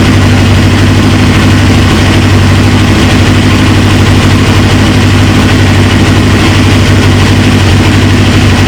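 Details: 1999 Suzuki GSX-R 750, first start after fitting a used replacement engine: steady, even low idle rumble with a consistent beat and no knocks, misses or rattles; healthy idle, though a fuel leak appears at the tank.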